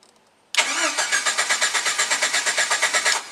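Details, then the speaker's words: Jeep Wrangler YJ straight-wired with push-button starter to bypass a faulty key cylinder: starter cranks steadily about six pulses a second for under three seconds with no firing, because the ignition arming switch is off. "okay it should not start because i do not have my switch turned on"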